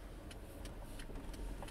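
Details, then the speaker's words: HTC RE camera on a windshield suction mount while driving; light sharp ticks about three times a second over road rumble, something loose vibrating inside the camera itself. "there appears to be something inside the re itself that's vibrating and making a little bit of noise so I think that's actually what's causing the noise that I've been hearing on screen"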